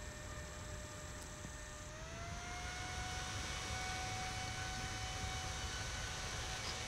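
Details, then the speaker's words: Modded Hiland-type bench DC power supply with a temperature-controlled cooling fan, heatsink heated by a soldering iron, microphone near the fan: a steady fan hum steps up in pitch after two seconds and holds; the fan is ramping through its speed steps as intended. "it should come up to speed very rapidly because this is going to heat this up quite quickly and I'm going to put the microphone down near the fan so we can hear it see if it uh goes through its four different steps or some of them anyway"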